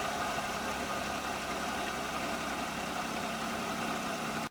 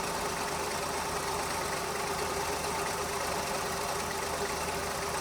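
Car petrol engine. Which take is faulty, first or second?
second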